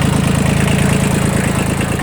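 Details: Kubota L1802 Japanese 18 hp 4WD diesel mini tractor: steady, evenly spaced clatter at a low, deep idle with no misses or knocks. Idles normally.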